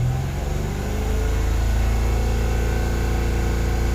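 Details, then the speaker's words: Mitsubishi Mirage that was hard starting, especially when unused, just started after fitting a new spark plug. Steady, even run with no stumbles or misses; normal running. The cause was a worn-out spark plug. "Ayun, nagnormal siya. Ayan. Sa madaling sabi, ang nangyayari lang diyan napundi yung spark plug kaya hindi siya matuloy."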